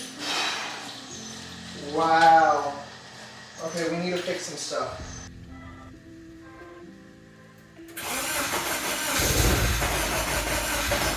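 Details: K24-swapped BMW E30 on its first start, no tuning, fuel pressure at 50 psi; catches after cranking and runs unevenly with a surging rumble, rough running with the cause not yet known.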